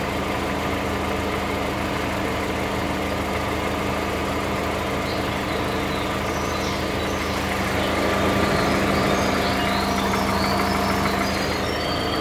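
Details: 2013 VW Voyage with EA111 engine at idle: steady hum with a faint irregular tapping about three per second from the lower part of the engine; abnormal lower engine noise, cause unclear.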